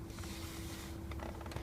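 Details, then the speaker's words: Jeep Cherokee Sport XJ door before the repair, opening and closing: a couple of sharp pops over a faint steady hum as the door check pin snaps back and forth in the worn check housing. "When I go to open the door, I get this annoying sound. Even when I close it. The door is popping. Now it's actually not the door, it's this little check housing down here."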